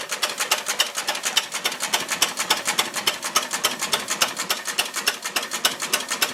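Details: Ruston Hornsby PR, about 1926, horizontal single-cylinder petrol-paraffin engine, on petrol with mixture leaned from too rich, apparently first start in 5 or 6 years: crisp, even ticking near 105 a minute, no misses or clatter; normal idle.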